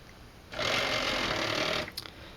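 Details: Salvaged CD/DVD drive number two from an e-waste bin, powered on a test rig: smooth high whir rises quickly, holds steady over a second, winds down cleanly; motor spins strongly with good torque, normal.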